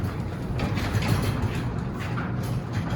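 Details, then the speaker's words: Garage door opener after adjusting the lift rod to vertical or slightly past, on a subscriber's advice: low, steady rumble of drive and door travel that builds in gently with no bang or jerk, a smooth, gentle start opening. "Now watch. It's a nice gentle start"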